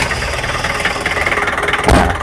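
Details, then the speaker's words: Daihatsu Taft GT F70 4x4 diesel, just started and heard from outside: even idle with steady crisp clatter, no odd knocks; sounds healthy. "dari luar itu suaranya kleng gini. Itu top."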